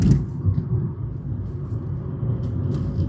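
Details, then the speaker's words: 2013 Fiat 500 with a whirl noise under hard acceleration that occurs only in gear: coasting downhill out of gear and revved, only a low engine rumble and road noise, with no whine rising with revs. "I'm going to knock it out of gear. Drop it out of gear to for downhill. If I rev it,"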